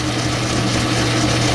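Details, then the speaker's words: Old 10-inch Logan lathe turning aluminum 6-71 GMC blower studs, speed medium-low, thinner 10-thousandths cut, double belt setup helping; steady low hum, constant tone, motor not pulled down, normal cutting. "that's a little thinner cut but it's not pulling the motor or anything down"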